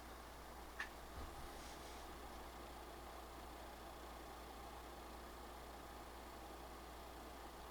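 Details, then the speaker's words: PS5 Pro cooling fan under GPU-intensive gaming load in Cyberpunk 2077 (not PS5 Pro patched), measured about 46–47 dB in game, slightly quieter than 47–48 dB at the start screen; soft steady airy whoosh with no rattle, buzz or pulsing, normal fan noise. "so this one one seems a little bit a little bit quieter it seems to be between 46 and 47 in game"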